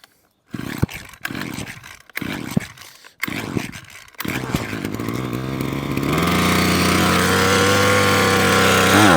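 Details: Parkside (likely SK1E34F-LD) petrol hedge trimmer that keeps cutting out, primed about 15 purge-bulb pumps and choked; several failed pulls, then it catches and revs to a steady high buzz; stiff carb metering diaphragm and blocked fuel screen starving it.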